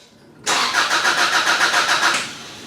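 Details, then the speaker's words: 2002 Subaru Outback that died while driving, crank no start: starter cranks at a steady quick rhythm for under two seconds and never catches; wiring and fuel pump relay test okay, so owner suspects a faulty fuel pump. "so it looks like the wiring is okay fuel pump relay is okay so i think my problem is a faulty fuel pump"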